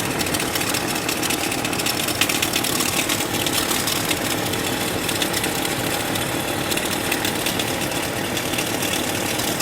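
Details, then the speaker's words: 1998 Chevrolet Cheyenne K2500 (GMT400) with flickering battery light: steady rough whirring grind over idle, loudest at the alternator under the hood, confirmed by stethoscope versus AC compressor and power steering pump; worn alternator, replaced. "If we come under the hood, there's definitely a noise coming from what sounds like the alternator."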